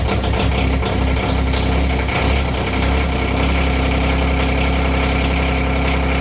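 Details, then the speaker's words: Diesel engine kept in the garage, marginally warmer than the -8°F outside, on the same fuel as the RTV900 that won't start: deep, even diesel clatter at a steady low idle, no misses or knocks. Normal cold-start idle. "this is in the garage which strangely enough is marginally warmer than outside so we'll give this a few extra seconds here and we'll see how this goes"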